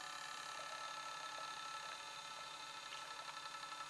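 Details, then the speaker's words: Optical drive on a 2009 MacBook imaging a disc for a PowerBook 1400: a faint, high, steady whir with a light fluttering buzz as the disc spins; the disc runs noticeably noisy while reading. "and this is a particularly noisy my disc as you can probably hear but um"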